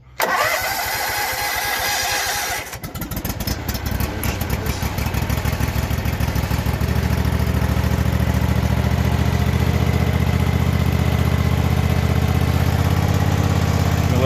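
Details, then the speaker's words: Husqvarna MZ5424S zero-turn mower with blades off, choke up, in park, tank just refilled from empty: about two seconds of cranking, then it catches and settles into a steady, even low idle with no misses or knocks. Runs healthy. "Let this run for a second real quick before I start it up. Everything seems to be okay."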